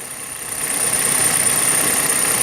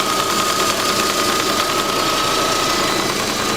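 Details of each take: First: Kia/Hyundai petrol engine idling with a light, fast chattering tick on top: normal fuel injector noise, easily mistaken for lifters or timing chain, not a fault. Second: Petrol engine at steady idle with light, quick ticking at about three a second from the EVAP canister purge valve clicking.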